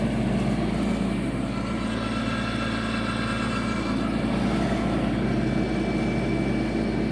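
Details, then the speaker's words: Yanmar 424 diesel tractor, about a year old, after BG 245 fuel system cleaner cured bogging: steady running with even low clatter, no stumbling or bogging; normal diesel running. "so anyway so far so good seems like it's running great now and hopefully that continues"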